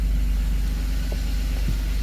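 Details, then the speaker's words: Gray Van, 1993 Dodge Grand Caravan LE, cold start a week after the last attempt on a charged battery: a little tick, then oil pressure comes up and it settles into a low, even idle with no misses or knocks. "Little ticky. There comes oil pressure. Okay. Very good. And she's running."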